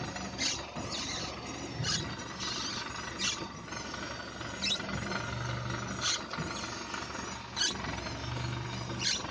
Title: Xray скрип подвески 2